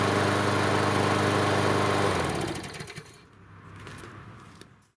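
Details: Yard Machine 6 HP 21-inch lawn mower that sat over a year and wouldn't start, after repair: engine runs at a steady even beat for two seconds, then shuts off and coasts quietly to a stop; running healthy.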